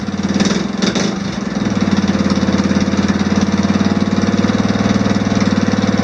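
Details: Off-road mower after swapping in an OHV single-cylinder engine with valve lash reset to spec, started unchoked: a couple of cranking bursts, then smooth, even, quiet idle with no ticking; healthy.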